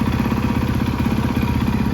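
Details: Rebuilt 2013 Yamaha YZ450F with a replacement head and a Rekluse clutch fitted, restarted in neutral. Steady, even thump at idle with no knocks or rattles: the four-stroke is idling cleanly and sounds healthy.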